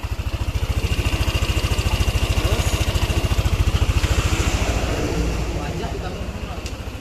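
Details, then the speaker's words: Yamaha NMAX scooter after repairing an engine tick suspected from rocker arm or camshaft, with the tensioner now working properly; steady even putter at idle, evenly spaced pulses, no ticking or misses, smooth and healthy. "Sepedanya sudah selesai dan sekarang berjalan mulus. Halus, mesinnya aman dan halus, tidak seperti di awal lagi."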